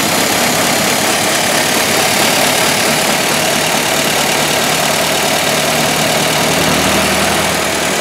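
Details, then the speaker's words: 1923 Ford Model T depot hack just after manifold replacement, started: four-cylinder warming up at idle with busy, hissy clatter but no stumbling or stray knocks; running properly. "start different already have fire right sounds good yeah a little while yeah give it a couple minutes"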